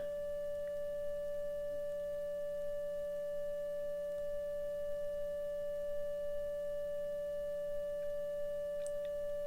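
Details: 1935 Philco 54C field-coil speaker with patched cone, field coil current at 40 mA: clean steady mid-pitched test tone without buzz, rattle or breakup; speaker reproducing properly.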